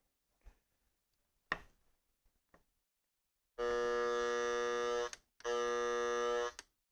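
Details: Two steady, harsh electrical buzzes from a noise sniffer plugged back into an unfiltered wall outlet, each about a second and a half with silence between; noisy mains line, which disappeared when plugged into the Panamax filter.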